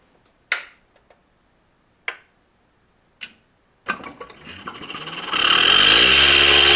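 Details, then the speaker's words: Harvest Right medium Pro freeze dryer vacuum pump, plugged directly into power for a priming run during setup: a few sharp clicks, then a steady, quiet hum and hiss with no knocking. The oil level dropped slightly but stayed right, with strong suction. The pump is healthy. "So that level did drop a little bit. It is very quiet. I'm very pleasantly surprised how quiet it is."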